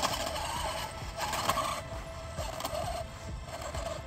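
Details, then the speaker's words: Traxxas XRT RC truck, Leopard 1000KV motor, Castle 8S ESC, 1.5 mod 23T pinion and 35T spur, on 4S batteries: harsh grinding chatter over the motor whine under power; broken drive shaft, and the motor-to-ESC wire burnt and unsoldered. "Broken drive shaft and fucking ESC wire from the motor burnt up and unsoldered."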